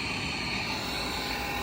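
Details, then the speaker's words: Loud, constant rough roar with harsh gritty hiss from a running power vent motor, outside cover removed; motor bearing grinding, motor to be replaced. "okay the problem that we have here is a very loud fan on the power band you can hear it grinding away"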